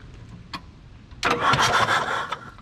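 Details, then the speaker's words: 1980s Komatsu D31S track loader, Cummins 4D105-3 diesel, sat 5+ years, earlier believed locked up. Injectors removed, dead batteries disconnected, cranking on a booster pack. The starter spins the engine quickly and freely with no binding; the starter works. "Cranks over. Oh. Cranks over good without those injectors in. That's great news. Starter works."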